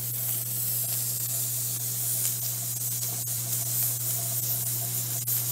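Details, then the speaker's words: Weight-regulated pressure canner canning potatoes: a steady loud hiss of steam with a low hum underneath, the sound changing just before the jiggler weight starts rocking to hold pressure. Steam venting normally. "you can hear the sound change right before it starts there it so now we can turn the heat down because we don't need much heat to be able to maintain the pressure open here on out a little jiggler is gonna maintain the correct pressure"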